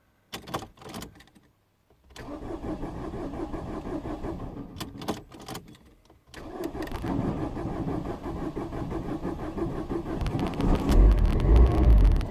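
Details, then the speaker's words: 2009 Ford Fiesta Mk7 1.4 TDI diesel, 5-speed: clicking, then short hesitant cranking bursts before the engine catches and runs rough, heard with the driver's front wheel off; suspected failing starter motor, before replacement. "So the car does fire into life, as you can hear, but it's definitely struggling to start for sure."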